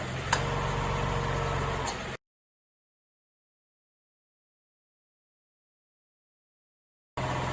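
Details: Nissan Fairlady Z Z33, VQ35DE V6, automatic, 310,000 km, just after a DIY engine overhaul: steady, even idle with a smooth, regular pulse and no ticking or knocking. A healthy, well-sorted engine.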